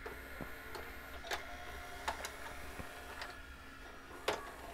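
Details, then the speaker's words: JVC HR-A592U VHS VCR: soft clicks and motor whirs as the loading mechanism cycles, tape ejected then pulled back in; no visible transport fault, a sensor wrongly detecting a tape is suspected, not confirmed. "inject the tape and then it pulls it back in again I'm not sure why I can't see anything wrong in the transport or any of the load mechanisms or anything like that"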